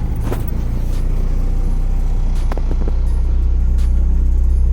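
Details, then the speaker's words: Honda H22A after ARP head studs and intake setup, idling on its own without the idle screw on the same tune that should run lean, yet running very rich: steady, slightly lumpy deep idle, no knocks; rich-running idle. "Oh, it's running stupid rich though. Well, it's idling on its own."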